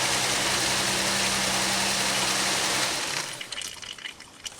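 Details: Pontiac Aztek first start after 8 months sitting: loud, steady sizzling hiss over a low hum for about three seconds, then fading, with smoke; fluid, apparently transmission fluid from a leaking line's top fitting, hitting hot engine parts, not confirmed.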